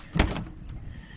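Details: Jeep Wrangler JK after driver's door latch/lock actuator replacement: one crisp clunk as all locks release together, no grinding or buzzing; power locks working properly.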